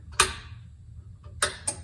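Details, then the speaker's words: Central vacuum won't turn on: three sharp dry clicks about a second apart as the relay pulls in but the motor never starts; the PVC elbow pipe was found completely clogged, and the motor may have burned out. "can hear the relay. Nothing's coming on."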